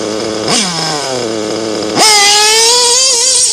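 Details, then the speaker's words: Nitro RC engine tuned rich: high-pitched buzz revving cleanly with a light splutter on the blips, the expected rich-running splutter at idle; normal rich nitro tune. "but when you're when you're running really rich or rich it'll it'll idle for sounds like a little spotter"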